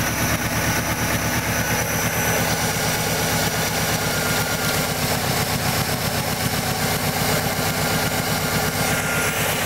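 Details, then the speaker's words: Subaru boxer engine at 243,051 miles idling: steady fast light ticking knock over the exhaust note, louder earlier at idle, not heard when just cranking; owner unsure of cause, video labels it piston slap. "I have no clue what the hell that sound is but it's not as loud now it was doing it at idle"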